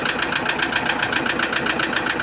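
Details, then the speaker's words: Toyota Innova diesel at idle: sharp, regular metallic clack about five times a second, loud from low in the engine; piston knock, teardown found scuffed pistons from running low on oil. "Jadi suaranya kayak mukul-mukul gitu, Teman ya. Nah, ini kedengaran keras di bawah, Teman-tem ya."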